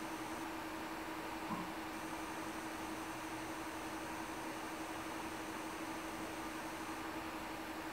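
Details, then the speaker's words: Creality Ender 3 Pro with silent stepper board and upgraded quiet fans, about 50 dB, 10 dB less than stock: soft even airflow hiss with faint power supply hum; normal quiet fan operation. "so now my fans are quiet enough i can hear the power"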